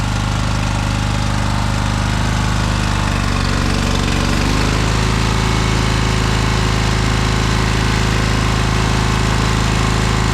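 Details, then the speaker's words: Cub Cadet 2186 lawn tractor, 1351 hours, twin engine, possible blown seal or gasket suspected: loud lumpy low thumping with uneven beat, running on only one cylinder. "It does have oil now in it. It's got gas. It should run on one cylinder. So let's give it a try. Pretty nice on one cylinder."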